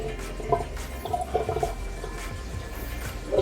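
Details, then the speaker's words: 120-gallon aquarium overflow: irregular gurgles and splashy bursts over running water as an arm in the tank displaces extra water down the overflow into the emergency drain, which has no siphon and sucks air. "the emergency doesn't have siphon so it makes noise"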